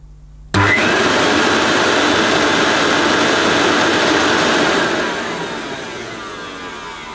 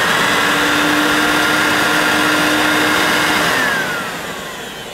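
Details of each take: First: New-in-box Hoover S2095 Quick Broom II mains stick vacuum, US import run through a voltage converter, cable had sticky residue: motor whirs up, holds a steady hum, then turns coarse on wind-down; unsure if normal. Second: Hoover S2095 Quick Broom II mains stick vacuum, new in box, first switch-on: steady high motor whir with even airflow rush, winding down at the end; slightly poorly on wind-down but seems okay, sounds better as it warms.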